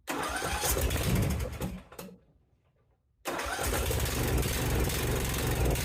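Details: Briggs & Stratton 16.5 hp engine, repaired for a slow-crank no-start caused by its auto-decompression setup, with valves rechecked and the carburetor needing to prime. It cranks briskly, pauses, cranks again and catches into an even run. Normal cranking and start.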